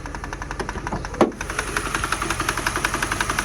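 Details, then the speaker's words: 2006 Mercedes CLS 500 V8 after fuel pump work: uneven idle with irregular pops and stumbles, roughly three a second, plus one sharp crack; knocking and misfire, with some oil or fuel burning off. "definitely it's a misfire a whole lot of light a whole lot of pop blocking dropping going on up in here"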